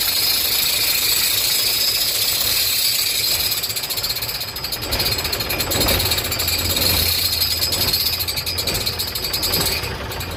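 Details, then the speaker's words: Truck diesel engine idling with a fast, sharp chik-chik ticking coming from the front side of the engine. "आवाज़ कुछ इस तरीके की है, चिक चिक की आवाज़ कर रही है।"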